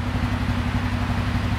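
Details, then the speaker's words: 2007 Suzuki King Quad 750 single: low, even thump at steady idle with no misses, knocks or hunting; idling normally. "like a champ right now just idling away"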